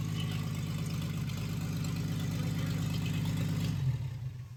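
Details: 1937 Chevy Coupe original Stovebolt 216 inline-six, first start after decades, choke adjusted, warmed up briefly, no coolant yet, good oil pressure; smooth even quiet idle, no ticking or stumbling before shutdown. Normal idle.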